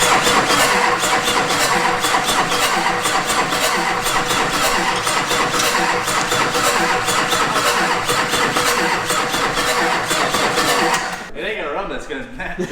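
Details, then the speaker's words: Wrecked Duramax diesel for a K20 swap, new battery fitted: fast, even cranking for about eleven seconds without catching, then stops; trying to fire but won't start. "it's trying to fire off but it's just not"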